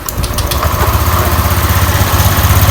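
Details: First-generation Honda Click 125i, low use, never opened, just after a battery change: rough, rattly clatter under the idle; milky white oil from water ingress; mechanic suspects water pump shaft bearing.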